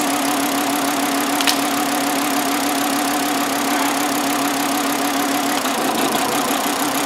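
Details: 2009 Volkswagen Jetta 2.5L with flashing check engine light and rough running, cylinder drop test unplugging coils: steady idle drone sagging in pitch as a working coil is pulled; cylinder 1 shows no contribution; rough idle misfire.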